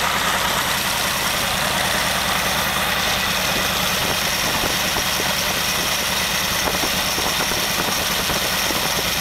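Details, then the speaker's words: Very old stock Studebaker 259 with AFB carburetor and new Evans intake, first start, idling about 700 rpm: steady idle with a fast metallic rattle at the front of the engine; loose water pump rattling, to be fixed. "apologize for the noise I've got a loose water pump up here which has a rattle in it and that's I'll fix that you coming days"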